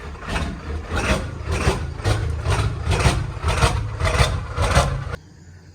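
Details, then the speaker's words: Ford 7.3L Powerstroke diesel with cold/hard start issue: loud uneven cackling pulses about twice a second with shudder between; scan tool showed the brand-new Motorcraft ICP sensor faulty after 50 miles, unplugging it changed nothing. "so you can hear it kind of cackles it shutters it has some problems"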